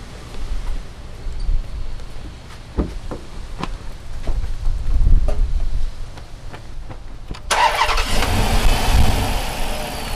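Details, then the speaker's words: Dodge Magnum 5.7 Hemi after valve seat repair with reworked heads, new plugs and boots, coolant refilled; a few clicks then fires into an even smooth idle, no ticking or misfire: normal idle, back to normal. "well there it is back to running again sounds good"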